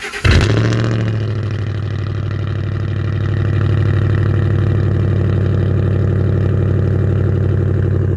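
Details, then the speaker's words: 2007 Ford F150 V8 after replacing failed passenger catalytic converter (blamed on failing coil causing unburned fuel) with Magnaflow high-flow cat: cold start catches quickly, steady slightly raised idle with even low rumble settling smoothly; healthy. "shoutout to Magnaflow because it sounds great so we're going to go ahead and do a cold start of that and you guys can hear how it sounds"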